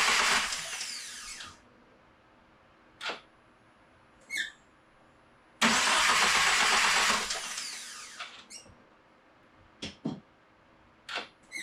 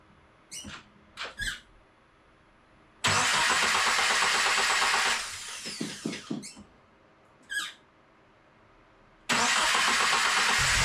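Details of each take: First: FA24 engine swapped into Subaru VA WRX, first crank with throttle body attached on manifold: two even starter cranks of about 1.5 and 2.5 seconds, smooth, no grinding or scraping, no fluid leaks; healthy cranking. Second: Subaru FA24 engine swapped into VA WRX, first start: harsh, very loud metallic clatter and roar on each start, echoing in the garage, stopping when the engine cuts; sounded like a destroyed block, cause undetermined.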